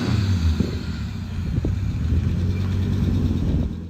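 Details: 1986 Audi 4000CS Quattro running after sitting for a few years: a low, slightly uneven rumble that holds after catching.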